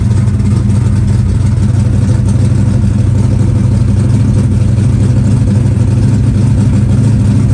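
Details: Green Chevelle, started at about 20°F in snow after priming the fuel pump. Loud, steady rumble idles evenly with no choke and no misses. Normal, healthy cold idle.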